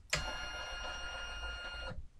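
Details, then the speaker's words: SainSmart 3018 PRO CNC, X-axis acceleration ($120) set to 1700 during GRBL tuning, 50 mm move right and back: steady high singing stepper tone cutting off cleanly, smooth and healthy, so acceleration is raised to 1800. "Again, that seems fairly smooth, so we'll take it up to 1800."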